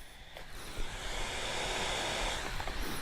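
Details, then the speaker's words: Steam Deck with whiny fan, after an electrical-tape fix, running a demanding game at higher wattage: the fan spools up louder as an even airy hiss, no high-pitched whine. "Yep, even though it's spooling up, I hear the fan. It's getting louder, but it's not doing the whine."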